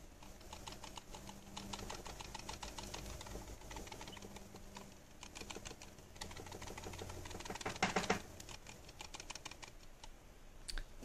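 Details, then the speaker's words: Logitech G303 mouse shaken: quick, uneven light plastic clicks from the optical lens under the sensor, which is loose and not tied down properly. "you are probably wondering what's causing that weird not to noise and yeah that's the optical lens that is under the sensor and it's not tied down properly"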